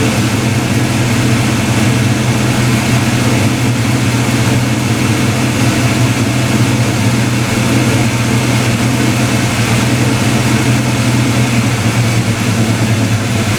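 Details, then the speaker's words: Black Ford Mustang just after first start with new 24 lb injectors, 73 mm mass air meter and shimmed rockers: deep, even idle holding steady with no stumble or miss, idling much better; normal idle. "oh actually sounds a lot better damn yeah i think i had some oil on the headers from taking the valve covers off car's idling a lot better man"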